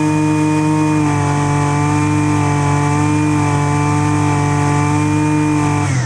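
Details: Husqvarna 128LDX string trimmer, small two-stroke, after fixing a no-start from sitting: holds a high, steady buzz at constant revs, then drops off smoothly; clean, even, running properly.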